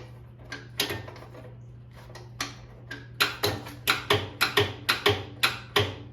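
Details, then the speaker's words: 1971 IH Cub Cadet 126 after sitting for a very long time, on first battery hookup with the positive cable touched on by hand. A steady hum with uneven clicks settling to about two per second; the engine turns over but never starts. "It's trying to crank. Engine's turning."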